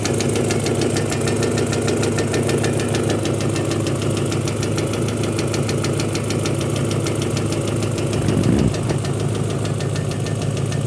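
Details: Honda petrol engine at idle: quick light tapping, less prominent at higher revs, mistakable for valve clearance noise; caused by a faulty knock sensor setting a check engine code and disabling VTEC, cured by a quality new sensor.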